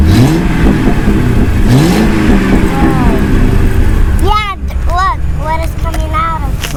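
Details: 2006 Mercury Grand Marquis V8 at first startup after swapping the single factory exhaust for an OEM dual exhaust and deleting the rear cats. Deep, even idle rumble with a throaty burble and no knocks or misses: normal.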